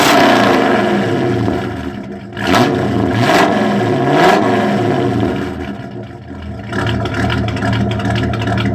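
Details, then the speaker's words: Squarebody truck engine with carburetor, valves just readjusted (zeroed, no preload), oily exhaust: revs rise and fall with an irregular metallic clank from underneath; owner suspects a wrist pin, possibly also leaky header gaskets or collectors. "I think that's a wrist pin. Sounds like it over here."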